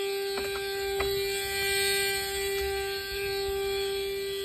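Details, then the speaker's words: Fiat Ducato camper van started after a week unused, following a service including a turn-signal stalk (comodo) replacement: constant mid-pitched electronic tone blaring from the speaker that won't stop; possibly the entry-step not-retracted warning buzzer. "ben il y a un truc qui gueule dans l'enceinte en fait on continue et j'arrive pas à l'arrêter"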